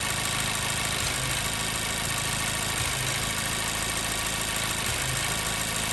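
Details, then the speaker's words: Car idling with a steady rumble that drops out now and then with uneven stumbles, a misfire at idle. Cause not yet diagnosed; a scan tool was to be used. "But finally, we got this car here that's got a misfire."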